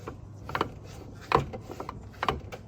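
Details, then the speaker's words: C4 Corvette front end, engine off, shaft rocked by hand: three sharp, dry clicks from play in worn u-joints. All are bad and are being replaced. "they're bad so I got to pull these out here okay here here here and here they're all bad so that'll be coming out"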